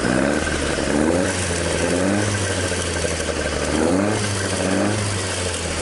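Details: Toyota AE86 with 4A-G engine after exhaust leak repair, stock exhaust: gentle revs swell and ease with a smooth, even exhaust note and no puffing or ticking. Normal, sealed exhaust note.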